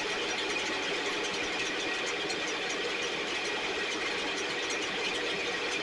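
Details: STIHL 6R 450 two-stroke backpack blower after cleaning and repair (idle had fluctuated and could not be adjusted): steady high, buzzy drone holding even with no stalling or surging, running much better though still loading up slightly, with carbon buildup suspected.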